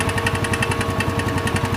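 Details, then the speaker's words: Scooter that had run out of oil, idling: sharp, fast metallic knocking about ten per second that stops when revved, so it is unlike rod knock; cause found to be a broken valve spring. "es raro este sonido porque generalmente un golpe de biela suena a digamos a todos los regímenes de revoluciones"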